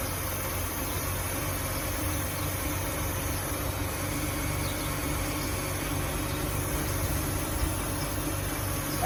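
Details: 2005 Ford Taurus with idle hunting, rising and falling unevenly with hissing air in the background, after the ignition coil was replaced; idle air control valve suspected, owner also hears air escaping elsewhere; cause not confirmed.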